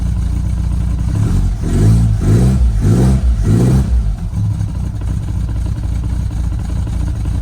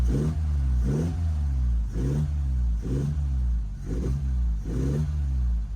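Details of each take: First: Lotus Elan restomod, cold engine on choke blipped four times: each rev brings a rhythmic knock as the bottom of the carburettor hits the top of the footwell; the planned fix is cutting the fiberglass lower. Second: Lotus Elan restomod, nearly warm with water at 90: steady idle with gentle swell about once a second, running a bit rich as suspected.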